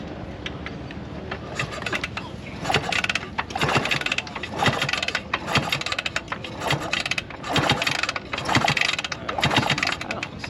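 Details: Vintage motorcycle bought at the Barber swap meet, being kick-started: repeated uneven kick-over strokes about one a second, churning but never catching. It won't fire; the owner hears spark and suspects the coil wire is jumping.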